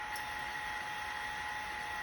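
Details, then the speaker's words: 1980s 5.25-inch MiniScribe hard drive after oiling and moving the stepper: thin steady whine with faint hiss, no scraping or clicking; the drive spins up and runs smoothly. "Wait! Wait, is it working? Oh my god, I think it worked!"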